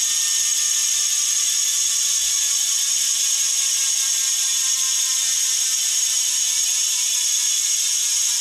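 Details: Bontrager Aeolus Pro 3V wheel with DT Swiss internals on 2022 Trek Domane SLR7; fast, even high-pitched buzzing tick while coasting, no skips or grinding; normal healthy freehub ratchet clicking.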